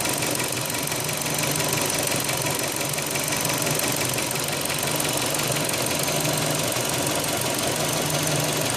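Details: 2005 Hyundai Elantra idling, just after owner tightened the timing belt: busy, rattly tapping about three times a second over the engine; knock was present before but less prominent, now louder, cause unknown.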